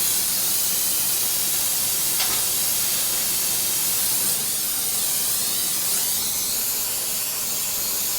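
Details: Oxy-acetylene torch welding 16 gauge sheet, run a little hotter for the thicker metal: steady strong hiss of the flame with only small changes, burning evenly; normal operation.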